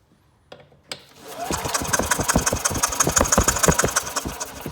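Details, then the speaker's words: Old Yamaha golf cart, sat for years, jumped to crank: starter spins engine evenly, about three compressions a second, never catches; no spark, key switch suspected first, traced to a faulty CDI. "Now let me see if I can check for some spark. Now I don't know if the key switch even is working or not. So I don't have any spark at all right now."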